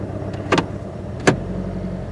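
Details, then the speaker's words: 2009 Scion with no power and a flickering battery light: low idle put in gear with sharp uneven thumps, a definite misfire, engine light then flashing, battery light on; misfire suspected linked to the alternator failure. "let me put it in gear oh definitely a misfiring and we have a battery light"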